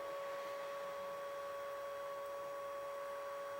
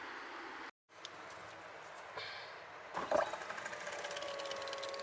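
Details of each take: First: Triumph T100 Bonneville (0 miles, long stored) fuel pump bench-run: a steady, even whine at constant pitch with no rattle; the pump now runs smoothly, and a new filter and tank clean are planned. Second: Triumph T100 Bonneville (0 miles, long stored, non-starter) fuel pump removed and bench-run: rattly buzz at start, then a steady high whine; noisy at first, and the mechanic suspects crystallised old fuel inside the pump.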